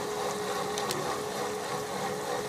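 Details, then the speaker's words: Workshop central heating circuit (small circuit, circulation pump set to speed one, then two and three) after fresh water was added and the old water with leak sealer put back: even pump hum with a thin steady tone and a rough gurgly hiss, sounding like cavitation; the pump is noisy from air trapped in the circuit. "that pump does sound like it's cavitating"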